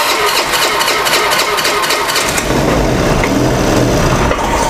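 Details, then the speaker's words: Motorcycle that was hard to start now cranks, catches and runs unevenly, sputtering after a valve check. Worn valves or valve tips can push the valve clearance too tight, and compression is now building. "hidup tapi brebet ini motornya nanti kita coba cek isinya juga"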